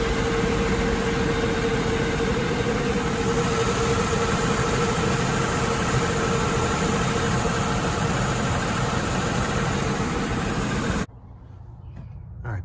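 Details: Mercedes-Benz engine at idle after a valve cover gasket replacement and a new #6 ignition coil: regular stumble of about three uneven pulses a second, then it shuts off. A cylinder is misfiring; owner suspects the degraded original wiring harness.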